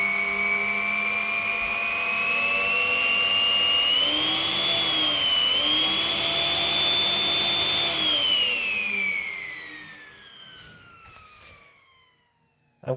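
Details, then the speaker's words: Ten-year-old snail-shell (centrifugal) fan: shrill jet-like turbine whine rising and falling with fan speed, then winding down as it stops; cause unclear. "a turbo fan everyone it sounds like a flippin jet engine"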